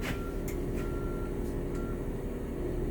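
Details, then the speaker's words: Bus with engine idling, service brake held, transmission shifted from neutral to reverse during a transmission cycle check: thin mid-pitched backup buzzer beeps in short pulses over a low steady diesel idle; reverse alarm working normally. "I'm going to put the bus in reverse. I see it on the dash and I felt the transmission engage. And I hear the backup buzzer."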